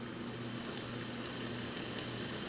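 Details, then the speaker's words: Wollensak Model 1288 stereo tube tape recorder after amplifier restoration, second channel volume turned up, no tape: steady soft hiss with a faint low hum from the speaker, showing the amplifier has power; working normally. "And we hear the hiss coming from that. So that's a sign that there is power in the amplifier."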